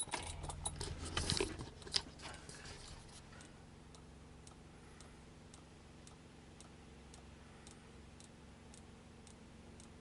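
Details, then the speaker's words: BMW E10 2002 1600 with about 3/4 tank of fuel, key on: steady light ticking about one and a half per second, normal clicking from the electric fuel pump. "I do have electric fuel pump so the clicking you'll hear is going to be electric fuel pump"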